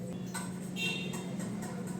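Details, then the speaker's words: LG front-load washing machine in self-test mode: drain pump running, a quiet steady low hum with faint drum ticking as water drains out, showing the drain pump works properly. "இப்போ பார்த்திங்கன்னா drain motor run ஆகிற அந்த sound நல்லாவே நம்மளால் கேட்க முடியும்."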